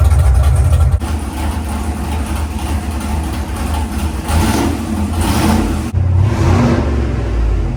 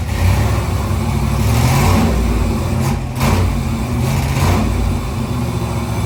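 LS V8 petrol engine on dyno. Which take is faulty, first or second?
second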